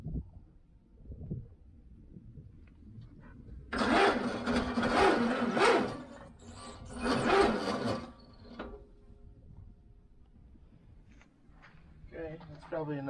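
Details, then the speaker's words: VW Baja Bug being tried after purchase: two short, strained cranking bursts, engine turns over very slowly and never catches; slow cranking, weak battery suspected though thought charged, owner considers charger or jump from another car. "did it turn very little it didn't even turn it all that time that's not good i wonder if i should put a charger on the battery"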